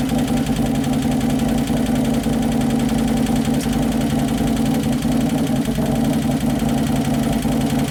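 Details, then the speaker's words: 2011 Harley-Davidson Road Glide (FLT) Twin Cam after motor rebuild: light fast lifter clatter over idle, hydraulic lifters not yet pumped up; idle hunting up and down as computer fights it; O2 sensor possibly on wrong side. "that clatter hydraulics not pumped up yeah the computers fighting it that's why it's going up and down up and down because the valves that one still aren't working very good whichever ones clattering"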